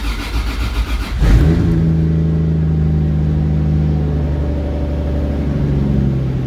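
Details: 1JZ head on 2JZ block (1.5JZ) build, after reconnecting the open-circuit cylinder 6 coil pack; short crank, fires, revs flare, then settles into a steady even idle with no miss. Pressures around 60.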